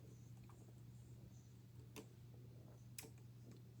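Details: 12 V PCB relay bench-tested with a multimeter, coil energized then released: two crisp clicks about a second apart over a faint hum; normally closed contact opens when energized; relay working normally.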